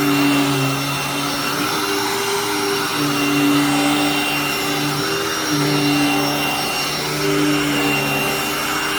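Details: Hoover upright vacuum, running: loud, steady motor whine with a constant pitch and no rattles or surging; works fine and is solid, just too loud, normal run.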